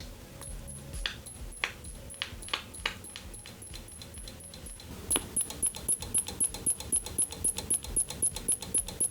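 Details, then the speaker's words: Apple Multiple Scan 15AV 15" CRT monitor (M4681) first power-up on current limiter: sharp regular ticking, about three then five a second, over faint high whistle, drawing about 12 W; supply cycling, owner suspects internal short. "so the monitor is drawing around 12 Watts when that happens the bulbs are completely switched off but it's making a clicky noise it sounds like a short but my light bulbs are not reacting"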